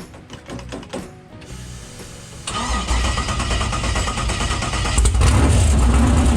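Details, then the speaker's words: Stock 6.0L LS V8 with 243 heads and carburetor, start on new Brian Tooley Racing Stage 5 LS3 cam after fixing a fuel leak; quiet then it catches and settles into a deep rumbling run with no knocks, fires fine. "we didn't have the oil pressure and the oil temperature sensors plugged in so that's why we stopped it from running but it did fire"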